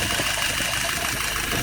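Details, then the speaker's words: Restored, tested and adjusted 938 #2 idling steady at about 695 RPM: even running note with much hiss, no knocks or misses, load set correctly, no drips or errors; normal idle. "All right, look at some numbers. RPM, steady at about 695, almost 700."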